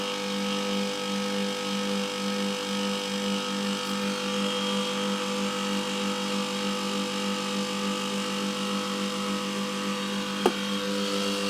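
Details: Milk-cooling condensing unit running after a new condenser fan motor and correctly sized secondhand blade were fitted; the old motor's front bearing had failed. Steady even hum with smooth fan rush and no rattles: normal running.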